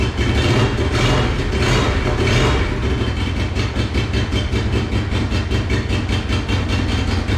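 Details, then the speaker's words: Monster golf cart build, first run after new fuel pump fitted: fast uneven idle with ragged popping and a missing beat, as if on one cylinder; later fixed with an idle adjustment. "so it runs but obviously not well as you can hear it it sounds like it's running on one cylinder or you know it's just like sputtering it's not running good at all"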